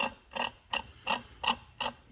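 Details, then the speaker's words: John Deere 3325 winch hydraulic pump on a 50-year-old John Deere 450 dozer, turned by hand with a little non-hydraulic oil: spins too freely, rough gritty rasp about every third of a second; bad pump. "but that's the sound of a bad pump."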